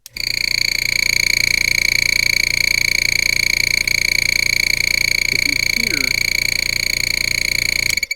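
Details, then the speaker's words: New Spraygunner oilless airbrush compressor running with no hose attached: a loud, steady high-pitched squeal over a fast, even pumping beat of about three a second; piston blow-by, air getting past the piston. "if you've heard that high-pitched squeal that's the piston in there allowing air to go past the piston it's called blow by uh it happens on automobiles as well as compressors"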